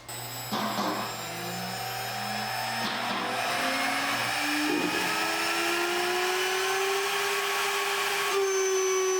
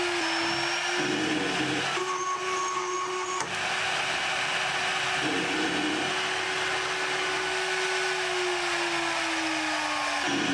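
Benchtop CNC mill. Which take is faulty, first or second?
second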